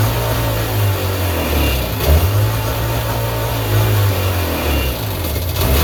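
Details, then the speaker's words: 1999 Sea-Doo GTI two-stroke, single carb just rebuilt, new fuel and oil lines, 148-150 psi compression: idle climbs and sags every second or two, hunting surge; idle not yet set, owner suspects the fuel selector switch. "check our fuel again that selector switch might be causing that surging issues"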